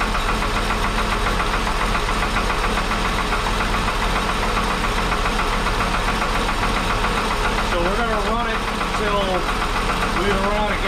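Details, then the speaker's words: 1961 Ford Falcon Delivery cold start with old, long-sitting oil later found fuel-diluted and thin; light quick ticking over idle; owner suspects a lifter, not confirmed, later blamed poor lubrication before oil change. "i need my key as it's cold i definitely hear something it very well could be a lifter"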